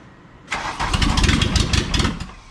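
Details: 1986 VW Jetta Mk2 1.6 turbo diesel, barn find, after timing belt and injection pump work; starter spins under two seconds with uneven chuffs, never fires; cranks but won't start.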